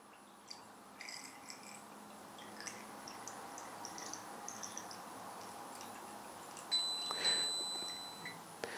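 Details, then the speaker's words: Vitality 1000 ml/min Brown's gas machine being filled with distilled water: faint high pings over room hiss signal the tank is overfilled, followed by a flashing blue light inside. "So two things happened when we got too much water. You heard those little pings, which is the first indicator that you filled it too far,"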